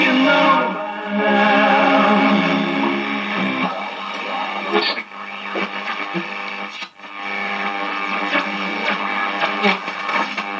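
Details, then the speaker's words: 1947 STC Bantam C141 valve radio after reseating a valve that wasn't fully in its socket: steady music plays cleanly from the speaker without hum or crackle, pulling in a station and working properly. "what do you know the stuff works out cool it's a goer it's a goer"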